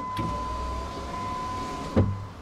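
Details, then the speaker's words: Jeep KJ power window in a newly wired-in door: the motor whirs about two seconds, stops with a thump, then gives a short blip. Owner is unsure what's wrong; the rear windows don't work at all, possibly a fuse. Power window malfunction. "so that window something's wrong with it I'm not sure yet what's happening there but I'll figure it out and the rear windows are not working at all so I think that might just be a fuse"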